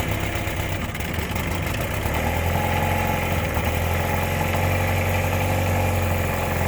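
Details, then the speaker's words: 1957/58 Mercury Mark 10 outboard that sat 45 years, warming up just after the mixture screw was backed out half a turn for sputtering. Uneven putter of three to four beats per second with irregular spits. Rough idle. "So I just backed this screw out about a half a turn because it's spitting and sputtering. And we'll see what happens here."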